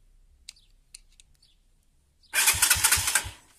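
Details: CG motorcycle starter: a few light clicks, then quick cranking that catches into rough, pulsing firing; complaint was only a click when pressing start, tested by bridging the starter relay wires with a screwdriver, starter motor good, relay suspected faulty.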